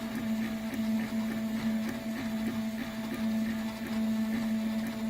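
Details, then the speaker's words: Stepper motor driven by a genuine Pololu A4988 driver: even, steady hum with light regular ticking and no roughness or stalling; normal stepper motor running. "here's a look at what a genuine Pololu a4 988 sounds like and what temperature that it runs at"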